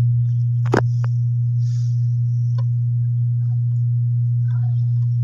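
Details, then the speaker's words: LD Curve 5 active speaker turned up loud: steady, loud low ground hum; disappears with volume off; suspected sub line board, traced to corroded volume potentiometers. "lakas ng ground niya So duda nito dito sa sub na ang problem itong sub na line"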